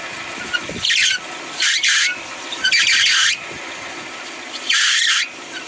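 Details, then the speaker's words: 2008 Kia Spectra, engine running: loud high-pitched belt squeals in bursts each time the steering wheel is turned; the power steering belt is too loose and slipping, and the alternator belt also appears to slip; fix is belt adjustment. "i wanted to see if that belt there was slip and i know this one's slipping but that one there take the keys out but that one there looked like it was also slipping a little bit"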